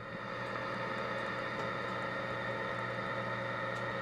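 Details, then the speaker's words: Ampeg GT-10 guitar amp, dated May 1971, back in its cabinet and powered through a current limiter drawing about 14–15 W: steady low hum with faint even hiss, no crackle or popping; healthy idle, speaker working. "so we got here we got 15 14 watts looks like we're good there on the current limiter some noise coming out of the speaker"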